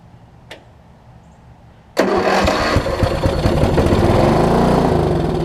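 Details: Old Craftsman 38" riding mower that had sat for a while, suspected dirty carburetor: the engine catches at once and settles into a steady quick putter, a normal start.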